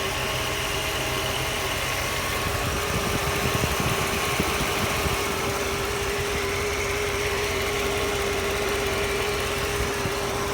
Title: Strange noise